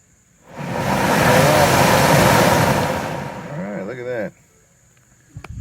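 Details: 2015 Ford Transit rear AC blower after the motor was swapped for a new one: steady rushing airflow as the fan switches on, runs evenly, then spins down; the new blower works normally, old motor was the problem.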